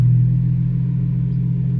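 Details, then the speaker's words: Infiniti G37 VQ37 V6 after 1320 header install and throttle body cleaning, once settled: smooth, deep, even idle with no knocks or misses; normal idle. "but yeah and as we can see guys everything is running normal once this focuses"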